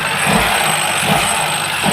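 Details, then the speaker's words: Ford EcoSport three-cylinder EcoBoost misfiring with blue and black smoke, won't rev past 2000 rpm; lumpy uneven running with a heavy thump about once a second; scanner codes point to low fuel rail pressure, fuel regulator performance, cold start fuel. "इसमें क्या आगी smoke आ रहा है और missing कर रही है गाड़ी रेस देखो यह ब्लू स्मोक है और ब्लैक है ब्लैक और ब्लू है तेज दे तेज तेज यह रेस भी नहीं ले रही है य देखो ऐसे कर रही है 2000 से ऊपर आरपीएम नहीं जा रहे"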